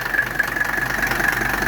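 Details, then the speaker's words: 1985 Mercedes 300TD W123 diesel wagon idling while R12 refrigerant flows into its overhauled AC system with the compressor engaged: steady diesel idle, even light clatter and a faint constant compressor hum. Smooth, healthy idle with the AC running. "we're going to hear the AC compressor kick on there it went the compressor just kicked on man it's sucking that stuff in fast"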